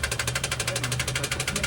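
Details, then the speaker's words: Toyota Wigo after water entered the stock air cleaner and was sucked into the engine: it starts but knocks hard and regularly, about ten sharp raps a second over the idle; internal damage suspected, not confirmed. "Maingay na nga. An mga boss rinig niyo yung ano yung andar ng Toyota Wigo natin. Napaandar naman pero wala na. Huli na."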